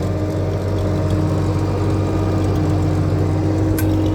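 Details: Old hydrostatic-transmission four-wheel-drive loader, just after ignition wiring, a busted hydraulic hose replaced and steering fluid topped off, first start since owned: steady, even engine drone with constant low hum, no knocks or misses; normal running.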